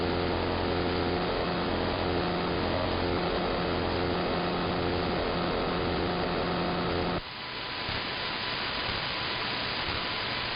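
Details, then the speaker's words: AM radio interference heard across the entire AM band, not apparently from an RF device; owner suspects something electromechanical, possibly from an industrial park two blocks north. Steady buzzing drone with fine rapid motor-like rasp, easing to quieter hiss. "Like it jumps to high, and then slowly comes back down to a low speed. And it sounds that way in tone."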